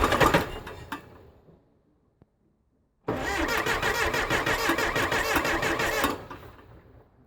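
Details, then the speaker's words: 1975 Case 680CK backhoe diesel, sat unused a long time, after oil change (water in crankcase), coolant and new charged batteries, glow plugs working: starter turns slowly and laboriously without catching; owner suspects batteries; slow cranking. "oh it's turning over slow so I'll have to figure out what that is maybe the batteries"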